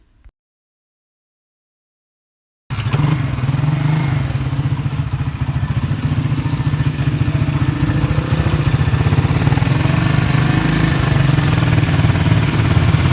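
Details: Honda US100 single-cylinder motorcycle started after tappet (valve clearance) adjustment with a feeler gauge. A steady, even low thump settles in after start-up with no ticking or clatter on top; idling smoothly.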